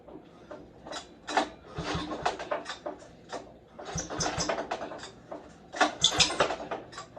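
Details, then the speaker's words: Snowmobile pull-started cold after seizing when warm: each rope pull brings a raspy high squeal from totally worn cooling fan shaft bearings, which seized tight when warmed up and spun the belt; bearings to be replaced. "You can hear it squealing, but it's the bearings in the fan shaft. They're just totally shot."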